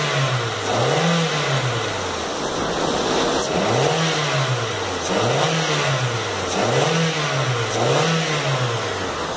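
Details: Toyota Corolla 1.8 16-valve automatic, 160,000 km, previously misfiring from a seized fuel injector, after injector service: repeated clean revs rise and fall smoothly with no stumble or misfire.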